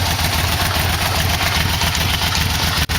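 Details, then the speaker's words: 1989 Yamaha V-Max after cam chain, sliders, camshaft and valve clearance inspection and exhaust fitting, running without coolant: rough busy idle with light irregular ticking plus exhaust-leak hiss; ticking source unknown. "hear that ticking. Seem to want to pull over $3 grand or so. I really don't have gotten any cooling in, and I can still hear it."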